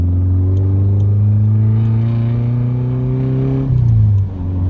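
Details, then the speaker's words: Healthy engine pulling under acceleration on a 1993 Nissan 240SX convertible, bought sight-unseen and just reassembled, on its first drive in hot Arizona weather; a smooth even drone climbing in pitch then easing off, no knocks or rattles. "It sounds good. It does actually."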